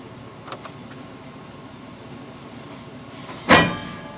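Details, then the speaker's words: 2004 Chevrolet Avalanche 4x4 after replacing the bad front axle engager and the axle, shifting into 4WD high: quiet cab with a few light clicks, then one solid clunk as the front axle locks in. Normal 4WD engagement. "they like doing that noise don't they but it's going in now"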